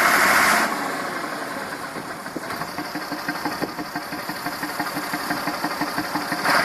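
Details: Massey Ferguson 2645 tractor, Perkins 6-cylinder diesel, owner claims rebuilt 100 hours ago: idle puffing about three times a second with uneven beats, one cylinder weak; suspected exhaust valve not seating, low compression, lack of power, unconfirmed.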